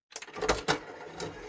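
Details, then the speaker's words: Sony MCH-M333NT Net MD mini hi-fi (bought as not working), CD player test: a few quick clicks and brief whir as disc loads and spins up, then quiet seeking; normal CD loading and reading noises. "Now that's the CD player, that's making the normal noises it should"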